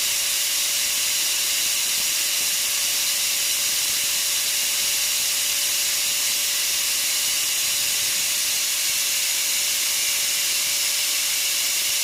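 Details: Multipro ESP99HP electric spray gun after its motor bearing was replaced with a better one: a steady mid-pitched motor whine under a strong, even air hiss, with no grinding. Readings peak at 480 and settle around 450–460, and it seems to spin faster. Normal motor run.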